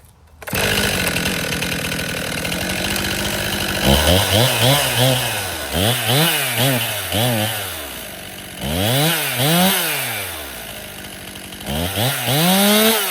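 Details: Stihl MS261 M-Tronic chainsaw, hot restart after sitting five minutes warm: repeated throttle blips rise sluggishly and flat instead of snapping to high revs; bog on acceleration, owner suspects it is running lean and needs a carburetor service.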